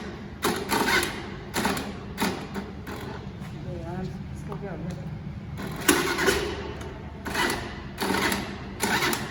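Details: Scooter that won't start, cold-start attempt on the starter: short bursts of starter whir repeated several times, each dying without the engine catching; cranks but won't start, so kick start is next.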